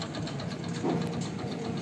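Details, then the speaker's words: Hero HF Deluxe bike with heavy white exhaust smoke and lost mileage, at idle: a quick, regular tapping knock over the engine beat alongside a light timing-chain noise; the knock is diagnosed as a bad piston. "Knocking की आवाज़ तक तक तक तक तक जो मार रहा है वह पिस्ता है तुम्हारी जो आवाज़ है यह जो नॉकिंग की ए रही इससे हमको यह मालूम पद रहा है की इसका जो पिस्टन है पिस्टन खराब है"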